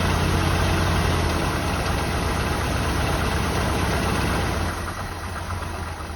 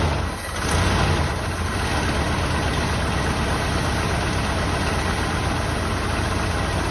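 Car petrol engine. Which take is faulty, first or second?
first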